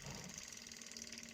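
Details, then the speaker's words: Repaired electric fuel pump bench-tested by wiring it straight to positive and negative, drawing fuel from the tank: steady high-pitched whir with faint fine ticking, even throughout. Normal fuel pump operation. "آپ switch لگائیں گے، لگانے کے ساتھ ہی یہ ٹینکی سے petrol اپنی طرف کھینچ دے گا."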